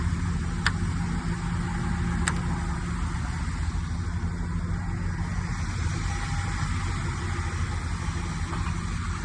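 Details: 2019 Blue Bird bus diesel: deep steady rumble at idle, smooth and even with no knocks or misses; healthy idle.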